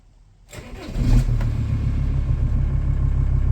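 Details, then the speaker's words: Volkswagen LT35 diesel van, previously in limp mode with breakdowns and no-starts, now fixed with no fault codes: short crank, catches almost immediately and settles into a steady low diesel clatter, idles evenly with no misfire or smoke; normal cold start. "I've sorted it now on the button every time no fault codes nothing coming up on the reader"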